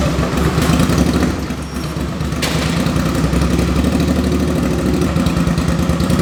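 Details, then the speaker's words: 2005 Suzuki V-Strom 650 on its first start after a swap to a very low-mileage replacement engine (the original had rod knock), muffler off: crisp, even V-twin beat idling steadily with a loud open exhaust, sounding healthy. "This thing sounds great. Obviously I'm gonna put the muffler on it. It still sounds really good, but that sounds so mean."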